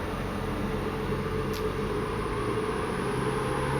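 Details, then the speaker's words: BMW 335i twin-turbo, cold, gas pedal propped for higher RPM: whoosh plus steady low groan that grows as it revs, seemingly a noisy belt tensioner bearing. "as it revs up you can hear it more and there's the groaning"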